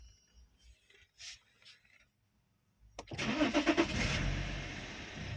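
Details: 2010 BMW E60 3.5 diesel, 285 hp, cranks but won't start when hot (errors 6292/6293): with a bypass connection a faint pump whir is heard, then a brief crank and the engine catches cleanly; normal start.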